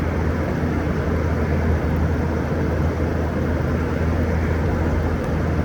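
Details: 2012 Frigidaire 18,500 BTU 220V R-410A window/wall AC, nearly 14 years old, outdoors at about 88°F: low steady hum with even rumble, no knocking, rattling or squealing; compressor running normally and blowing cold, though fan bearings noted as starting to go.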